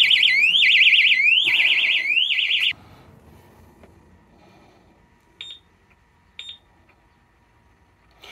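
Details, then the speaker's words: Loud warbling electronic alarm siren sweeping up and down for about three seconds, then two short chirps, on a 1997 Honda Pan European ST1100 after pressing the key fob revived with bench-supply power; the alarm appears to have rearmed. "that sounded suspiciously like it just rearmed"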